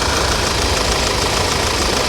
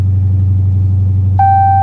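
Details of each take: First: Audi idling: fast, even light sewing-machine-like clatter that sounds like a diesel; normal direct-injection ticking, supposed to sound like this. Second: that exhaust doesn't sound stock either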